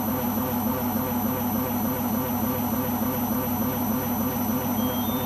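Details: Beko washing machine on its last legs, loud steady roar with a throb about 100 times a minute during spin; owner suspects the rubber behind the drum, cause unconfirmed.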